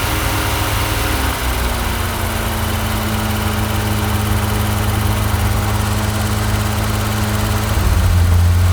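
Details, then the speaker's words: 1983 GMC Sierra with a 250ci straight six and 4-speed overdrive, sitting 17 years, first run after filling the carb bowls and drawing fuel from a gas can. Steady, even, smooth idle with a low drone that rises briefly at the end. "we got it fired up Barb was filling the bowls first with a can and now we're pulling it up through the gas can we have sounds smooth sounds awesome"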